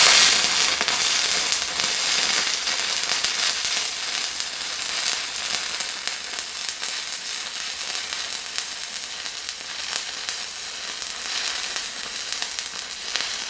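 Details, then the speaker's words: Fronius TransSteel 2200 stick welding a 3/32 7018 H4R rod at 90 amps: steady, even frying-bacon crackle and hiss with no pops or breaks; smooth, stable arc. "Arc so it runs that pretty smooth like I said this is just a regular 3302 708 h4r if that matters to you"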